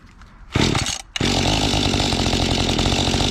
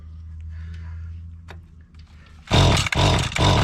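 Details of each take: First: Mantis tiller small two-stroke, bought at an estate sale in unknown condition, started on choke after a fuel-system clean with the carburetor unadjusted. It sputters, then runs ragged and buzzy, starved for fuel, with the high-speed screw at its stop: lean running. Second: Mantis tiller small two-stroke, bought at an estate sale, after the high-speed (H) carburetor screw was turned counterclockwise to add fuel. It fires after a few pulls, then picks up cleanly and climbs in pitch, pulling stronger; it still needs fine adjustment.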